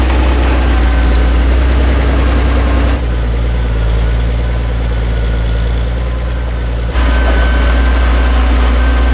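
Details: Vintage TD9 bulldozer after starter motor repair (shim added to restore engagement): deep, even diesel idle about four pulses a second, no knocks or misses; engine healthy.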